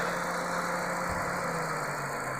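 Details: Toyota Corolla Altis 1.8 petrol at idle: steady, even idle hum with a low firing note and no knocks, misses or hunting; engine running smoothly.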